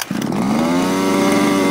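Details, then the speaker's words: Fifth-scale RC car two-stroke during break-in tuning, carburetor richened about an eighth turn: revs to a steady buzzing drone with a wet, blubbery gurgle, like running underwater, meaning the mixture is too rich. "that gurgle sound in the car that's telling you that the car is rich serous sounds like it's under water"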